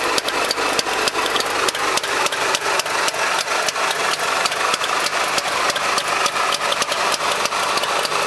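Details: Trabant engine at idle: rapid crackling with sharp pops a few times a second and a slightly uneven beat; an odd noise with no clear cause.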